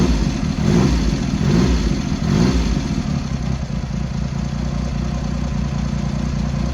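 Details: Triumph Hurricane X75 triple after refitting rebuilt carbs, richening pilot screws and correcting left carb adjustment, not fully warm; settles from blips to a fairly even steady idle with soft low beat, slightly rich.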